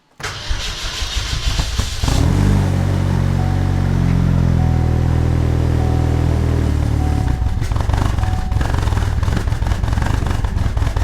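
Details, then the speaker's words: Turbocharged Chevrolet HHR SS Ecotec, boosting to 30 psi, first cold start in Pennsylvania winter after sitting since October and being reassembled for inspection: cranks, catches, revs rough and uneven with stumbling, sputters before settling to low irregular idle; cause unknown. "as you can hear cars sputtered a little bit when we had to start it up"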